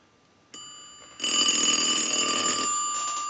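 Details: Western Electric glow phone after repair, ring cycle from an analyzer with the rear volume control being turned down: a bright, steady bell ring with a fast, even clapper trill and no rattle or buzz. The ringer works properly.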